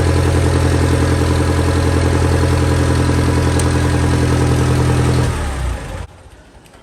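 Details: Massey Ferguson 35 tractor, Continental Z134 engine, after a new radiator was installed: even, steady low idle beat with no knocks or misses for about five seconds, then shut off; normal idle.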